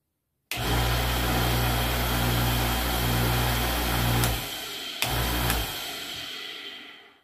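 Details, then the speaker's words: Washing machine motor with a permanent run capacitor, checked for loss of pressure: steady, even hum with a low drone and no knocks or rattles before it stops. The motor runs normally. "vocês puderam ver ele está funcionando normal"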